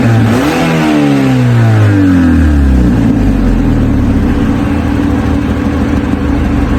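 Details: Mazda 3 revving: loud, raspy, rough exhaust note rising and falling with throttle; exhaust leak.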